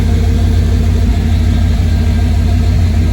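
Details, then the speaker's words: 1991 GMC truck hot after test drive following fuel filter change, recorded underneath near exhaust: deep even V8 idle burble, no leaks, misses or knocks; sounds good. "Look at this exhaust. I think it sounds pretty good to me."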